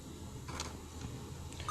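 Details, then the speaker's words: Dell laptop at power-on giving a 5-beep POST code, screen showing 'reboot and select proper boot device'; a couple of short high beeps are heard in this clip; the fault behind the code is not identified here. "Did you see the beep sound? 1 2 3 4 5. It's a 5 beep sound"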